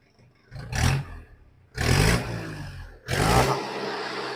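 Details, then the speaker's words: 1995 Mahindra 500 DI diesel jeep, first cold start after sitting four years with only a battery fitted: three clean throttle blips, rising crisply and settling without clatter or stumbling; no particular problems, revving freely. "Gayas വണ്ടി start ചെയ്തിട്ടുണ്ട് പ്രത്യേകിച്ച് പ്രശ്നങ്ങളൊന്നുമില്ല വർക്കിം തന്നെയാണ് ആള്"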